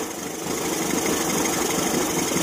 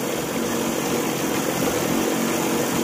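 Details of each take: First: Evinrude 40 HP two-stroke outboard in a test tank after throttle synchronization, timing being adjusted toward the 750 ± 25 rpm idle spec at about 4 degrees. Steady, even idle with a fairly flat hiss and no misses or knocks: normal clean idle. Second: Evinrude 40 HP outboard after weeks of work, test start out of the water: idle timing near 4 degrees, in gear just under 1000 rpm, hums with a slight rise and fall of about 50 rpm; uneven running from a misadjusted carburetor float.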